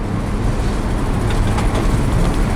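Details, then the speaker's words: Ford 360 FE V8 after replacing the worn exhaust flange donut gasket with a steel one; steady even exhaust rumble with no leaks, no ticking or hissing, and the earlier sputter and popping from the worn gasket are gone. "And as you can hear, there's there nothing. There's no uh no gas leaks or anything like that. So, I don't have that sputter like I used to and that popping sound uh when the gasket was uh was worn out."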